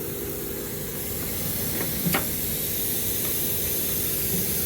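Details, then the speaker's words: Old Trane package unit with no refrigerant, pressurised with nitrogen high to low: steady high hiss of gas escaping from a refrigerant line leak at the header where the line passes through, not where a wire had rubbed. "I hope if I turn my nitrogen tank on it's leaking right there on that"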